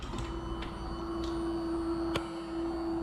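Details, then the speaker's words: 2019 Yamaha R6, battery and jump pack connected acting as ignition, before first start attempt: steady even electric hum for about three seconds then cuts off, fuel pump priming normally. "The fuel pump primes, that's really, really good."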